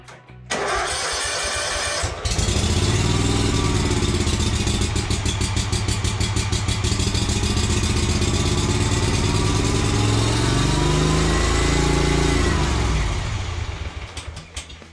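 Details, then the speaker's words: Kawasaki-engined Yazoo Kees ZT Max zero-turn mower, after carburetor cleaning: cranks and catches, runs steadily about ten seconds on fuel left in the carburetor, then leans out and dies; fuel filter was dry, fresh fuel not yet reached carburetor, fuel starvation. "okay so it started running off the fuel that was in the carburetor and then it leaned out and DED while that happened the fuel filter was dry but it started pulling fuel in but that fresh fuel hasn't made it in yet"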